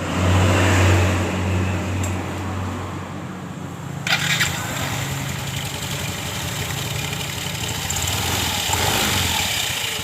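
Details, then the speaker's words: Yamaha Mio M3 scooter after the drive belt area on the left CVT case was opened and the belt refitted; it starts and settles into an even idle, and the earlier rough clattering knock is gone. "tidak ada suara klepek-klepek ya teman-teman dengar baik-baik suara kelopak-klotok dari motor ini sudah hilang"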